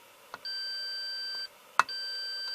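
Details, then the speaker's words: 6V6 single-ended Class A valve amp with hum and crosstalk: meter on continuity between the ground bus and the chassis gives two steady beeps. The ground bus is shorted to the chassis; RCA sockets are suspected. "somehow that is that ground bus is getting to the chassis but it shouldn't be it shouldn't be connected to the chassis"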